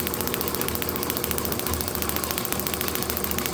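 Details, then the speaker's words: Overhauled IHC H4 magneto from a Farmall MD, meant for a TD-6 crawler, motor-driven on a tester with the distributor bypassed and spark taken straight off the coil; sharp, even ticking over a motor hum, a spark each time the points open: normal magneto spark. "So, I'm just getting co I'm just getting spark every single um every single time the point's open here. It's sending spark right here to"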